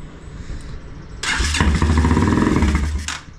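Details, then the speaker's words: Bike with a freshly cleaned and reassembled carburetor, primed with fuel: the engine catches, runs rough about two seconds, then cuts out abruptly. Starts then stalls; owner wonders if the carburetor needle is stuck again. "well it lasted longer than before [Music] a little bit of fuel in there a little bit more I wonder if that needle's stuck again"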